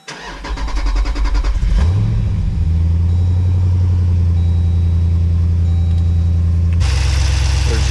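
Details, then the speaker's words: 2014 Jeep Grand Cherokee SRT during an E85 flex-fuel kit install, started with the controller unplugged and fuel now reaching the line: brief cranking, immediate catch, steady idle, no leaks or engine light. Normal start and idle. "fuel leaking anywhere which is good sounds like it's running normally this time it starts right away because there's now fuel going through that line"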